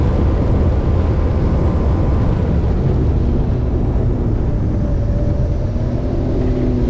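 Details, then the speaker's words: 2005 Sea-Doo RXP jet ski with many hours, after swapping from learner key to regular key: loud, deep, even roar with rising whine, reaching almost 7900 rpm and about 67–69 mph, stock top speed; runs cleanly, no knocks or misses. "all right so it went 78 almost 7900 RPMs I saw like 67 69 mph somewhere that perfect won't stock that's how that's how fast they go"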